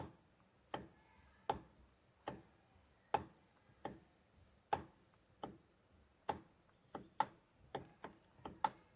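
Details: Mitsubishi L200 Triton steering column with the wheel refitted. Sharp dry clicks, one or two a second and slightly uneven, come as the wheel turns; the owner suspects the steering box bearing, unconfirmed.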